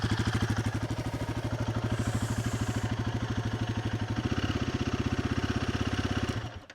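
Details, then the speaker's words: Single-cylinder motorcycle from a Triumph Speed 400 vs Royal Enfield Guerrilla 450 comparison, idling after a choke-assisted cold start. A steady, even low exhaust thump of about three pulses a second, with no knocks or rattles. Normal idle. "It sounds pretty nice. It sounds not too dissimilar to what my Bonneville sounded like before I changed the exhaust."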